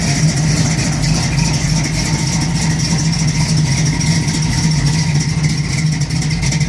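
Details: 1971 Chevrolet Camaro SS with 402 big-block V8: loud, deep idle with an uneven, lumpy beat and loping firing pulses; rough idle, cause not stated.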